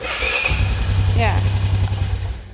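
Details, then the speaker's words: Honda 500 ATV restarting on a low, charging battery; a brief starter whir, then it catches cleanly and settles into a firm, steady low idle, a normal healthy start. "i know it doesn't sound like it i'm going to restart it it sounds perfectly healthy"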